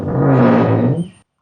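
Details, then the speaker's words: Car door swinging open and closed with a loud, low groaning creak about a second long from a dry, unlubricated hinge. "Kalau kita buka pintu, oi kalau tutup balik pun dia bunyi macam ni."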